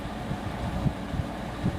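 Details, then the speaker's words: Carrier International 6200 BTU window air conditioner, Daewoo compressor and GE fan motor, just installed and running on fan only with no compressor: soft, even low whoosh with no rattle, tick or hum. Normal, almost inaudible operation. "I'll start it up on fan only first. It is extremely quiet,"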